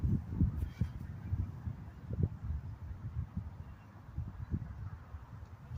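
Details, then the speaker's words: Briggs & Stratton 5 hp engine on a 90s Murray lawnmower after carburetor swap: uneven low coughs and sputters that catch briefly and fade, longest run about a minute; hoses checked, something else wrong; hard starting, engine stalls. "Well, guys, the carburetor works. As you can see, the engine will start. I think the longest I got it to run was about a minute, but yeah, it's not. There's something wrong with this lawnmower."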